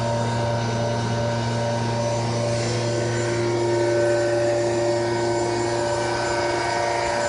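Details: Loud steady high-speed drone at 7000 RPM with a strong low hum and several fixed tones above it; heavy running noise and big vibration on retest, cause unknown.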